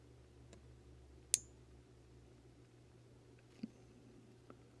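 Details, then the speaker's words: Budget amplifier board (9–24 V DC input, blue LED, rear switch) with speaker connected: one soft click at switch-on, then near silence with only faint low hum and no thump; quiet turn-on, less hiss than the previous board. "that was pretty quiet. And yeah, it's on. Speaker's connected. It's not as hissy either."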